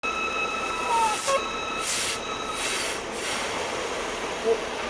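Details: BMW 5 GT 3.5 gasoline with engine check light and fluctuating RPM, rough running; thin steady high whistle over a hissy engine bay from air sucked through a small vacuum leak.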